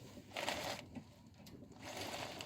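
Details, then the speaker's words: Audi 80 B4, steering turned at a standstill after replacing the stabilizer link that caused a squeak when turning: only soft tyre scrub and rustle, no squeak or creak now. "скрипа нету. Все-таки в ней было дело."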